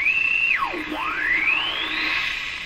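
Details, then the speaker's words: Sparton Model 5049 radio, remaining wax capacitors replaced, dial being tuned: piercing high squeal swoops down then climbs back up; still squawking and squealing, oscillation cause unknown. "that'll make the radio seem quieter see what happens here still squawking and squealing"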